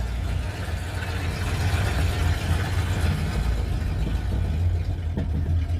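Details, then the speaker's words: Scrapyard Ford Fairlane on test drive after transmission tweak, lifter noise now gone: smooth even low rumble under way with no valve-train ticking; engine sounds good, only the exhaust is loud. "So, you know, I'd have to call and boy, the engine sure sounds good, all except for the exhaust."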